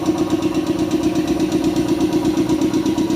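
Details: Shark 1 HP twin-cylinder belt-driven compressor (550 rpm, 83 L tank, 7 bar) filling its tank, which auto-stops around 90: steady, even piston chug with a firm mid hum, no knocks or rattles; smooth, quiet, normal running.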